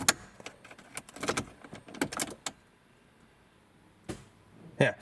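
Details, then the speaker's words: 1998 Saab 9000 CSE 2.3 Turbo, after rear ABS wheel sensor and wheel bearing replacement, ignition cycled: brief ABS pump buzz and relay clicks, felt in brake pedal; normal ABS self-test. "you can hear the ABS module actually going in. I can actually feel it in the pedal as well. So that's your relay going on and off."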